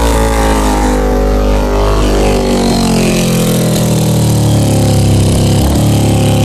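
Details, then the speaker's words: 2000 Honda CBR600 carbureted engine held around 1500 rpm, sagging and dropping pitch, stalling below that with poor throttle response, from leaking carburetor intake boots (vacuum leak). "as you can see I have to have it above one or like a 1500 in order for it to stay running if it goes below that it'll shut off or it'll fall out super four throttle response"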